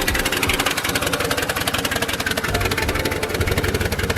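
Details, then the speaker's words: Mercury Marauder, DOHC 4.6 liter V8, previously knocking; even steady idle about three beats a second with no knock or tick, the earlier knock now gone; engine sounds healthy. "Wow, that's incredible. I don't hear any knocking, any ticking, anything. That's crazy. I don't hear anything at all."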